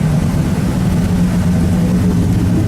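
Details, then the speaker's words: 1972 Ford Custom V8 idling after cold start, heard at the rear tailpipe: deep, steady low rumble with even beat, no misses or ticks; owner says it runs good, normal idle. "I'll be fixing her up soon when I have two older quarters back in fix all this what she does run and she does run good"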